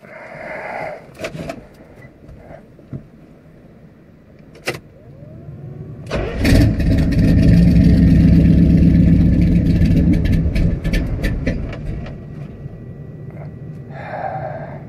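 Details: Carbureted engine after adjusting the carb's high idle screw: quiet, then it catches and runs rough about six seconds before fading and dying; failed start, won't keep running.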